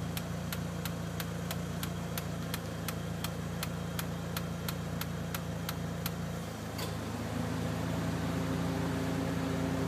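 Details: Mitsubishi Evo 1 at warm idle, engine at temperature: sharp, even ticks about three or four a second, heard when the fan disengages, fading as the fan note changes; engine ticking at idle, cause unclear.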